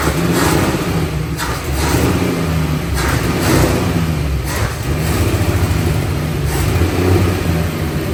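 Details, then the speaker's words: 1962 Dodge Lancer six-cylinder after carburetor overhaul and points work, now on six working cylinders, engine covered in fuel: runs unevenly with lumpy wavering beat and surges, sometimes stalls; cause not yet found; rough running and stalling. "now I know what it sounds like it sounds like garbage and it's covered in gas trying to be on fire still kind of got to figure that out"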